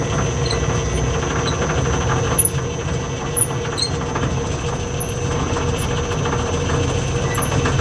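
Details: Lathe three-phase motor on a single- to three-phase VFD, basic settings, belt just reinstalled, speed control lever stiff: steady low rumble with constant hum and faint rattles; kind of noisy, cause unconfirmed.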